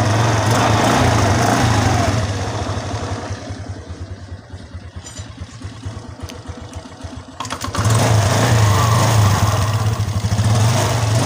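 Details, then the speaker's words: Suzuki Skydrive 125 scooter after CVT overhaul, fitted with a serviced used battery: engine revs, settles to an even idle and revs again with no grinding or rattle, smoother than before and lighter acceleration, though it shakes when throttle is released. "suaranya lebih halus dari sebelumnya. Karena saya tidak mengujinya lebih awal. Akselerasinya juga terasa lebih ringan."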